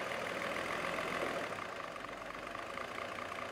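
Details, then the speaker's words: Mercedes with Bosch K-Jetronic fuel injection after replacing the 40-plus-year-old injectors: smooth, even idle that holds steady when dropped into gear, no stumble or misfire; normal idle in gear. "there we go now it's idling better let's put it in gear and see what"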